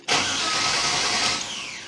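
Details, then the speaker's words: Holden HQ ute after replacing a dead ignition switch with an LJ Torana one: starter spins the engine strongly and evenly for over a second without catching, unpumped and unrun for months; normal cranking. "it's not going to go because I haven't pumped the accelerator it's got a electronic accelerator and hasn't run for weeks so it's going to take a bit of time to get it going again but listen to that beautiful noise that works"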